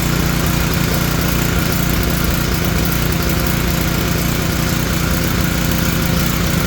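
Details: Tecumseh generator bought as non-running, running with the brown low-oil sensor wire disconnected; oil was later found low. Loud, even low chug with a steady beat and no misses or surging; running steadily under its own power.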